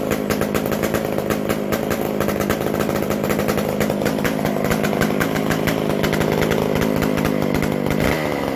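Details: McCulloch Super Pro 125c chainsaw after adjusting the idle speed/idle mixture screw, new old stock muffler fitted: steady even high rev with no surging or hunting; mixture settled, runs clean.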